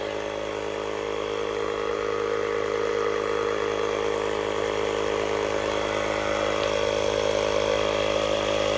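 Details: Tire inflator powered from a Hulkman Alpha Pro jump box's 12V socket at 50% charge, inflating a tire: steady mechanical buzz with a quick, even pulse that never falters. Running normally under load.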